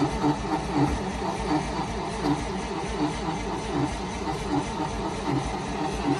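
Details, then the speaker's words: Carbureted 1955 Dodge M152 command truck, unused 15 years. Slow rhythmic cranking, about 80 beats a minute, never catches. Flooded: too much fuel in the carburetor. Flooded engine no-start. "might have flooded it full cooperated vehicles like the dodge here flooding the engine means that there's too much gas back on into the carburetor"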